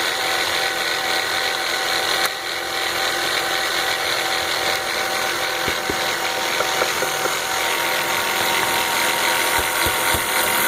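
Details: BMW 325xi (E46) engine running; light, uneven metallic rattling and ticking over faint engine hum, unchanged when the DISA valve is unplugged; source of the rattle not identified.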